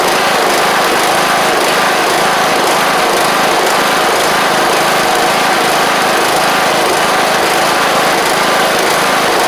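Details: John Deere LA100 riding mower (5-speed transaxle), sat a long time with water in the tank and hard starting blamed on valves, now running off choke: single-cylinder buzz at steady high speed, no misses or surging; runs evenly, though the spark plug is suspected to have failed.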